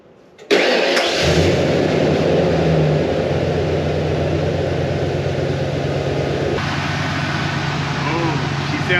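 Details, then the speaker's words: Ford 5.0 EFI V8 first start after upper intake plenum removal, EGR valve/tube work, valve cover gaskets and tune-up: brief crank, quick catch, steady even low idle, no knocks or misses; running smooth. "she sounds good. That worked out great. Running smooth."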